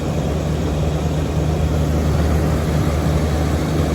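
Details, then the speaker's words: Central AC outdoor unit with R22 leaks in the condensing coil, gauges reading 39 psi on both sides: low, hollow steady hum with no load change; the compressor is running empty with no refrigerant charge. "Let's turn it on, see what happens. There's that compressor running. Like empty."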